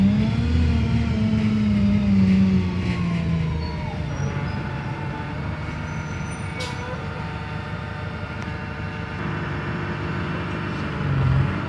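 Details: Wrightbus StreetLite DF diesel bus in service on the road: a steady, disturbing whirring whine from the engine rides over the engine rumble, its pitch dipping and rising with speed.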